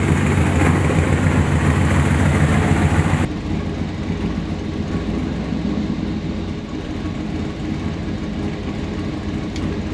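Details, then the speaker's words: 1969 Chevy C10 with 454 big block, newly fitted 1000 hp-rated TH400 transmission replacing a destroyed TH350; trans brake not wired, shifter linkage roughly set, fluid may need topping off: deep steady rumble settling to even idle, no clunks, whine or slipping; driveshaft works; normal running. "Drive shad works. I got to check the uh fluids. Make sure it's all topped off. So far so good."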